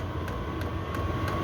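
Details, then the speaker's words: Chinese 5kW diesel heater on kerosene, 12V from 240V transformer, pump at 5.3 Hz near maximum: steady fan hum with sharp, evenly spaced pump ticks about three per second; normal fuel pump ticking. "that's the pump what that's the Hur of the pump at the moment that's kind of getting it 5.3 which is like more or less as fast as it'll go"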